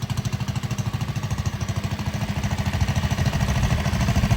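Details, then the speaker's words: 1960 Wheel Horse 400 Suburban, four-horsepower single, bought as no-spark, on first drive: quick, even thumping about twelve beats a second, steady and unbroken; runs cleanly. "Runs pretty good if I say so myself. Cleaned up pretty nice."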